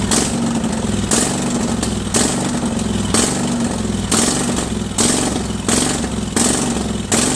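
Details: Craftsman 46" lawn tractor, Kohler Command 20.5 HP V-twin, choke off, before carburetor cleaning: engine rises and sags about once a second, surging badly at all throttle speeds; dirty carburetor, fixed by disassembly and cleaning.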